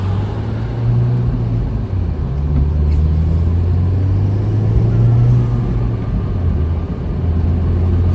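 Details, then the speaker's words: Turbo Nissan Juke Nismo RS salvage rebuild after a motor-out repair, on a first short road drive: low road drone with a wavering hum and a faint rising howl. Source unknown, possibly from one side; a wheel bearing issue was suspected earlier. "What's tight. that sound? I don't know. It sounds like there's like a howler monkey or something."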